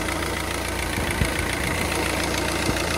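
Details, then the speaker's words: Citroën C3 1.4 HDi diesel idling with manual air conditioning switched on: even idle with a steady whirr from the engine bay, no grinding or clutch chatter; AC compressor heard running normally outside the car. "si vous appuyez sur le bouton et vous entendez pas le bruit à l'extérieur ça veut dire que le compresseur le climat ne marche pas"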